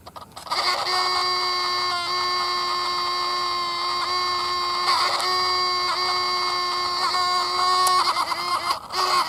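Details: Sony RX100 compact camera making an annoying steady, nasal electric buzz with a fixed pitch, brief dips and clicks; abnormal vibration noise in a previously working camera, later easily fixed.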